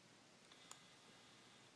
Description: There is a clicking noise while zooming in, precisely between 28mm and 35mm.